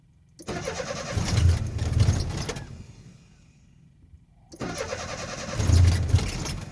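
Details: Nissan 720 cranking in two long bursts at about four turns a second with no clean catch or steady idle; hard starting.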